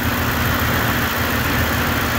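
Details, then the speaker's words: Ford F-150 after water pump, pulleys and belt replaced for start-up bearing noise, warmed to operating temperature: steady even idle, smooth low rumble, no squeal, chirp or bearing rumble; much quieter. Normal idle. "sounds much quieter doesn't it hope we're on the right track here"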